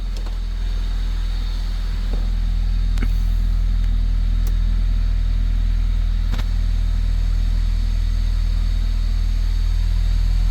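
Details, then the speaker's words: Honda Civic EG3 hatchback, Mini-me VTEC head swap, P28 ECU on a stock map, started easily after sitting once battery and components were borrowed from another car: deep steady idle, even low pulse, no knocks or misses; normal idle. "Holy! It sounds good. Now I'm relieved. Finally the engine started. And it started easy."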